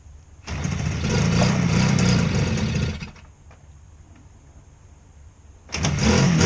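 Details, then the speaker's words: 1967 Bridgestone GTR 350 two-stroke after engine and crank bearing rebuild, 5952 miles, cold start outdoors around 45°F: fires quickly into rapid crackle with smoke, cuts out briefly, catches again strongly; no mechanical knocking. "all right here starts right up smoking nice"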